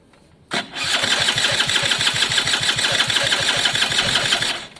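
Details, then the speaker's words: Italjet Formula 50cc two-stroke paddock bike, carb and new fuel tap refitted: cranks at about three beats a second for four seconds without catching; owner suspects too little fuel through the suction line; spark believed present, plug wet; cranks but won't start. "Okay, so I believe we've got spark. I checked that, cleaned it. It was a bit wet actually, the spark plug, so I'll keep an eye on that."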